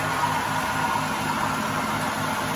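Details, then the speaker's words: Smart & Brown 1024 lathe after headstock and gearbox oil filter clean, run at high speed, motor and primary drive same speed: smooth, even drone holding one steady speed, no knocking, grinding or surging; running normally. "Motor same speed, primary same speed. We're going a bit more of a lick on that now."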